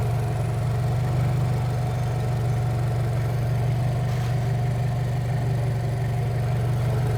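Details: Turbocharged new-generation Subaru BRZ with bolt-on turbo kit, first cold start-up after two-day install, gauges for boost and AFR, no check engine light: deep, even idle holding a constant note with no knocks, ticks or hunting; healthy.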